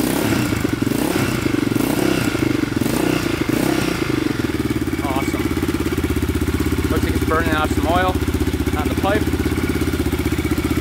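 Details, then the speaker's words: 2002 Yamaha Raptor 660 single after timing chain and bent valve replacement, just started on portable charger: steady even thump at settled idle, clean regular beat, no knocks or misses; running fine. "yeah i think we're i think we're golden now sounds like it's running pretty good audio is perfect so that's pretty good"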